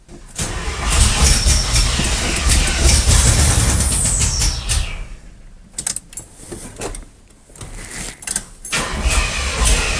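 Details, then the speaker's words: Old Chevy square body truck with carburetor and electric choke, possibly flooded: long, heavy cranking that grows labored and uneven, never firing; starter straining; sounds short of fuel though it seems to want to run. "[Music] starter's starting to not sound happy [Music] not enough fuel but it sounds like it wants to run"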